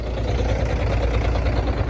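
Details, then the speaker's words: Truck diesel idling smoothly and quietly, no compressor knock yet, while air system pressure is low; air compressor reportedly starts knocking and heating up after about 10 minutes as system fills with air, cause unknown. "А до этого работал замечательно Вот как только Когда в системе мало воздуха двигатель работает Тихо"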